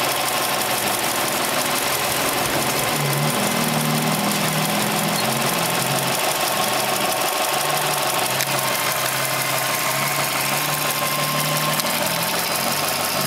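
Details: Subaru Impreza EL15 at 75,000 km: light, uneven, sharp high ticking-knock about three times a second while running, from a worn original NTN hydraulic timing belt tensioner.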